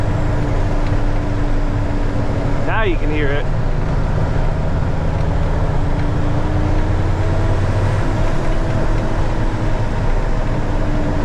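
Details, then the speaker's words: 2000 Freightliner FLD120 diesel pulling away in first with the fan clutch locked and the engine cooling fan engaged: heavy, steady loud low roar drowning out the turbo. "camera but it's really loud all right I'm going to leave the fan on"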